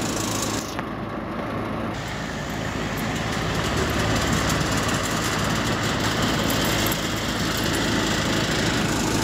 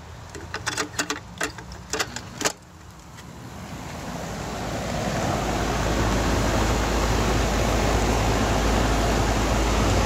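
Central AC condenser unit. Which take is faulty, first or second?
first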